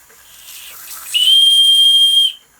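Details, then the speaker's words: Restored Empco B-43 model steam engine under its own steam: soft hiss builds, then a clean steady high whistle holds about a second and cuts off sharply; the new brass whistle top works properly. "big thanks to my mates Joe Owens for the whistle top he had a few made up that it's brass but it should be nickel plated"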